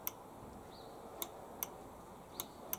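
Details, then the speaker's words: Hyundai HYM530SPE lawnmower safety switch on the engine brake lever clicking normally when the operator presence control is pulled after adjustment: five crisp, sharp clicks at uneven intervals in a quiet room. "so this lever here on the engine is the engine brake so when I pull on the OPC you'll probably hear the switch click yeah"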